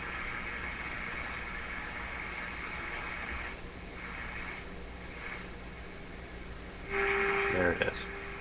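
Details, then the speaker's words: RCA Victor A38 shortwave tube radio on test with signal generator at 1000 microvolts on the antenna: faint test tone barely above hiss, very weak reception; cause unconfirmed. "very weak very weak why so weak here we go again with the weakness"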